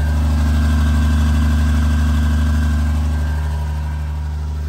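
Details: Freshly installed 1500hp Cummins diesel, run without coolant, cam break-in sweeping about 1000–2000 rpm during hot re-torque: steady even drone at raised idle, smooth regular pulse, no knocks or misses. Normal high idle.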